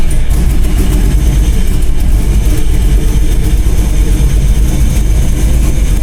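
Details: LS-swapped Chevy Blazer: deep lumpy V8 rumble with revs blipped, sharp puffing tick rising with speed; exhaust leak, to be fixed.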